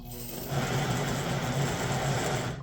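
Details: 1958 (owner thinks) Lionel 2383 Santa Fe F3AA locomotive before truck regreasing, E-unit lever slow to drop: low, strained, uneven buzz, then a sharp metallic tick. Stiff drive from old nasty grease in the trucks, later replaced with white lithium grease and oil.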